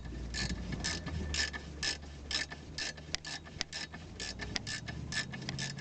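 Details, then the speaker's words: Toyota Probox/Succeed after repair: handbrake ratchet clicking in quick bursts with no squeak; squeak was caused by a worn cable bushing rubbing metal on metal, replaced with a homemade bushing. "все никакого скрипа нет вся причина была в изношенной втулки металл по металлу терся"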